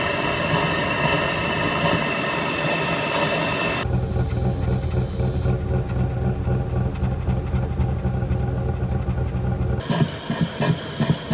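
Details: Lincoln Aviator 4.6 DOHC V8 idling lumpy and uneven with a faint shake after a timing chain and guide swap. The driver's bank small cam-to-cam chain was one tooth off, and moving it to the correct position fixed it.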